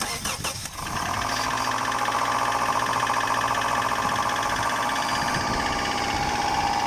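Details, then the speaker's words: 1999 Subaru Legacy BH5 EJ201 cold start at −2°C outside: catches fast into high idle with light quick tapping over it; piston slap, audible only when fully cold, expected to fade after about ten minutes warm-up. "то есть вот как раз информация для тех кто покупает subaru машину когда смотрите двигатель холодный должен быть абсолютно холодный только на холодную вы услышите штук поршня"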